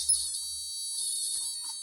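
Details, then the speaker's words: Cheap electronic burglar alarm kit with an inductor-based oscillator, after a 100n capacitor is added to lower the frequency: a steady, piercing piezo tone with a slight warble, likened to a non-Western wind instrument; sounding properly. "Far Eastern or middle eastern musical instrument like a bazooki or what's that thing I can't remember what it's called now one of those strange wind instruments that is tuned to uh a nonwestern tuning scale"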